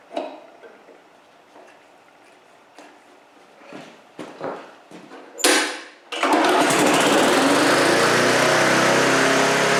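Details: Older Briggs & Stratton 3.5 HP push mower engine with Pulsa Prime carb-on-tank and primer bulb, after carburetor cleaning and rebuild, primed three times with no choke: catches after handling knocks and settles into a steady, even buzzing run with no misses or surging.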